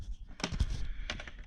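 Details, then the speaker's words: 2002 Toyota RAV4 U140F automatic transaxle, P0758 diagnosis: a two-pin shift solenoid bench-tested with 12 V and ground gives two sharp, distinct clicks about 0.7 s apart against a quiet background; the solenoid snaps in cleanly and tests good. "if you have a two pin solenoid connect one to ground and then take your positive and hear that click that's the solenoid"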